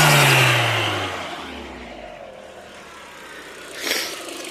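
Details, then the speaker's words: Mk4 Golf GTI AUM with vacuum pipe from diverter valve top to wastegate actuator removed: rev blip falls away with hissy rushing whoosh and fluttering chatter; a leak in that pipe causes turbo flutter. "And there's your problem solved. So you must have a leak in that pipe"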